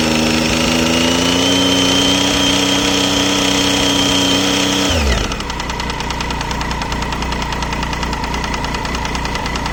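Revs drop to idle, then a quick, regular light ticking sits over the engine note and keeps pace with engine speed. The cause is unknown.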